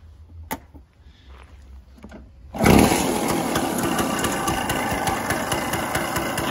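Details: Early-1970s Elektron scooter, 642 km, first start after 45 years in storage, with a syringe of petrol and spark confirmed: a few quiet knocks, then the small two-stroke catches and settles into an even, buzzy idle. Normal idle.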